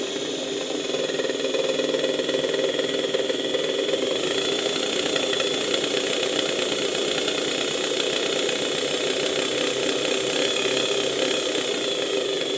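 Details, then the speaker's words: Nearly 100-year-old Electrolux VII vacuum motor run through a voltage regulator at reduced voltage: uneven whirring with rough fluttering hiss, surging and dropping, choppier as voltage rises, not following regulator changes smoothly; owner suspects damaged rotor windings, brushes sparking heavily. "ten silnik po prostu nieregularnie pracuje Zwłaszcza jeżeli podniosę nieco napięcie praca silnika staje się wyraźnie przerywana nieregularna silnik też nie reaguje płynnie na stopniowe zmiany napięcia na regulatorze"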